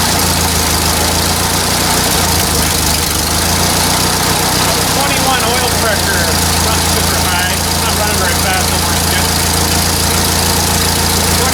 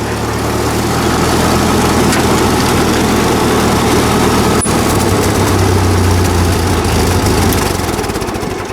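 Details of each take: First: 1944 Ford 2N tractor started after sitting a couple of months awaiting parts: low rumbling idle with an uneven, snappy beat on top; governor audibly snapping, to be replaced next. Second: 1944 Ford 2N tractor with Chinese copy Ford carburetor, after brake work: steady, even low putter about three and a half beats a second, no misses, knocks or surging; runs well, though governor still needs replacing.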